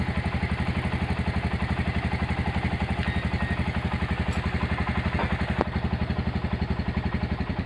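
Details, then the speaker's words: Honda GL100 single-cylinder engine idling after restoration: smooth, even, steady thump with no knocks or rattles; valve clearance set to 0.10, still quiet. "Untuk suara mesin halus dan enak ya."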